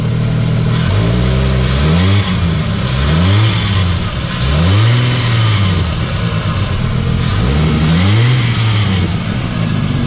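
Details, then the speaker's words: Concorde engine blipped repeatedly from idle: pitch rises and falls each rev with an odd, never-before-heard note underneath; cause not pinned down. "here's a noise I've never heard before."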